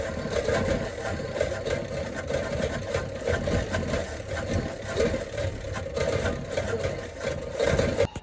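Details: 1972 Chevrolet Constantia (Holden) running rough: wavering, stumbling, lumpy idle instead of a steady hum.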